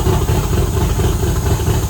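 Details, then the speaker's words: Factory Five MK2 Cobra roadster with V8, fuel injection and rebuilt T5, first start in a year after oil priming, idling in neutral cold: deep, even burble, steady low rumble, no ticks, misses or knocks; healthy. "All right, it's running. I'm going to check for leaks and walk around and let it warm up real quick."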